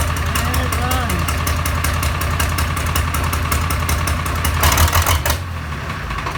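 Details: Farmall 706 tractor, diesel engine just rebuilt with new glow plugs, head, pistons and rings, first start after about 12–15 seconds of glow: cranks and catches, then settles into a steady, even chug with no knocks or misses; normal start and idle.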